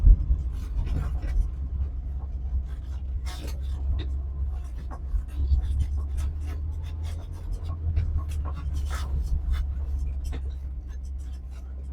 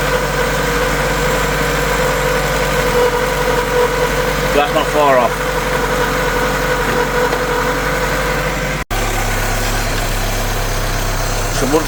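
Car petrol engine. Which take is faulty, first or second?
first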